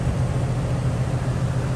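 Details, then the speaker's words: 2019 Rheem 3.5-ton condenser, installed three years ago, under warranty for a loud condenser fan motor noise at shutdown: compressor restarts with an even low hum and steady pulse, no knocking; runs smoothly. "okay compressor started back up nice and smooth"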